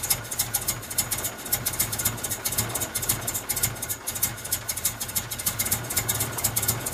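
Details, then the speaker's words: Truck running on a homemade wood gasifier, just after start-up: uneven surging chuffs with a rattly hiss, rough struggling idle; owner suspects air starvation. "oh there it is running it is run it again ruff"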